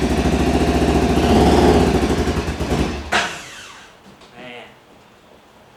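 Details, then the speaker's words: 2014 Arctic Cat Wildcat Sport 700 with a hard misfire: lumpy, lopsided beat with every other pulse missing, then stalls; running on one cylinder, spark plugs suspected. "so we need to figure out what is going on with that I'm thinking spark flux we'll find out see if I can get this thing started oh man it's firing on one cylinder"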